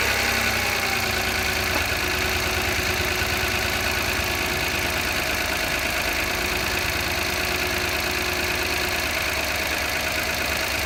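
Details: 2015 Mitsubishi Mirage cold start with a brief light rattle in the first second or two, then an even idle; owner was told possibly the oil filter/drained oil, dealer says normal; cause unclear.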